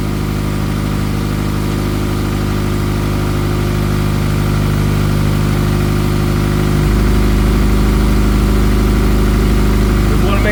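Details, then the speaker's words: Honda Accord on its first startup after a misfire repair with the cylinder head reinstalled: steady, even idle, loud through the unfinished exhaust, with a smooth beat that settles lower; runs cleanly. "I mean, it runs phenomenal. It's going to run excellent when I get done and finish weld the exhaust and all that fancy stuff."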